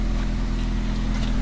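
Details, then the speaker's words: 1995 Honda Civic after welding the exhaust at the broken hook thought to have caused a leak: steady, even low idle rumble with no ticking, puffing or rasp; sounds sealed and like a normal Honda. "pretty straight pretty even went ahead and welded the hook i think the hook is where uh it actually had the exhaust leak that broke and caused exhausted pretty much sounds like a honda should"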